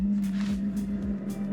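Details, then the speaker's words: Newly installed Chinese diesel air heater in a Ford Transit Connect camper van, after fuel priming: steady low hum with soft even ticking about four per second, blowing hot air, quieter than the previous unit; normal running. "it's really buzzing with it it's much quieter than my last one"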